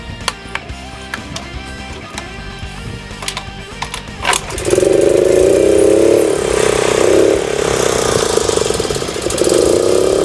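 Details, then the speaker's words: Suzuki Choinori 50cc scooter, next day, after plug change, tire repair, pod filter, carburetor repair and regulator replacement: a few clicks, then it starts at once and runs with an even buzz and smooth blips. No fuel leaks; running well. "はい。ま、こんな感じでね、非常に調子はいいです。"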